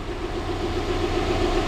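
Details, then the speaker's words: 2011 Subaru GT boxer engine (older timing-belt version), replaced with a secondhand engine: steady rumble with faint regular light tapping, engine knocking. "so the problem for this one is of course engine knocking on the Subaru boxer engine is not that good"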